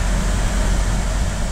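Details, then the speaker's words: GM 2.4 Ecotec at 103,000 miles, first start after timing chain skipped three links without bending valves, oil topped up; steady even low rumble, no ticking or knocking, AC humming; normal idle. "that thing fired right up that's incredible"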